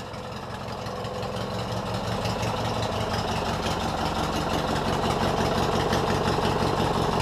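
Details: Recovery riding mower build engine with new open exhaust pipes: loud raw drone with fairly even thumping beat; revs climb slowly and strained, hesitating when revving higher; idle adjustment still needed.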